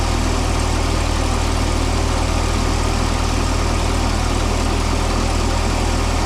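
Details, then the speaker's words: Mini forklift engine, propane-fuelled, radiator suspected of leaking coolant: drones at a fast, steady idle that never settles; idling really high from a binding throttle cable, later removed and given a new bracket and bigger return spring. "it's idling really high. We're gonna have to work that out. Okay, this is where we're at. We're having throttle cable issues. We took the whole thing out because it was just binding."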